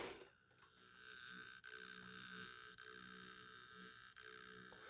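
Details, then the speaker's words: N scale SD60 diesel locomotive, a few years old, no speakers, sitting on the track with little current applied: a quiet, steady high electrical buzz that never changes. Cause unclear. "I really don't think it makes sound there's like a 90 chance I don't believe it makes sound besides the buzzing noise"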